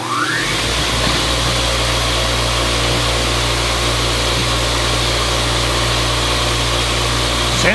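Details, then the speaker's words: Old three-phase grinder/polisher, its arbor previously locked up, on its first run after restoration: a smooth, steady motor hum with an airy whoosh, spinning the right way with no vibration or knocks. Normal running. "it's spinning the right way the first time yay and it works this is going to be good"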